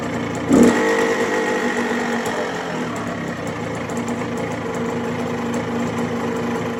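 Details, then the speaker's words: Yamaha two-stroke bought non-running, after the clogged carburetor pilot jet was cleaned: a quick blip, then a steady, crisp idle that holds without stumbling; runs clean. "everything seems to be good now it runs a idles all day as you can see right here"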